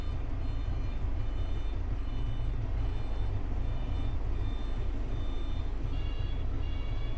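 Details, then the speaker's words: Another truck's reversing alarm heard from the cab while waiting to unload near Carlisle: a thin, harsh beep about twice a second over deep diesel rumble; the backup alarm works but sounds ugly. "Ein ganz, ganz hässliches Piepen. Ein bisschen widerlich."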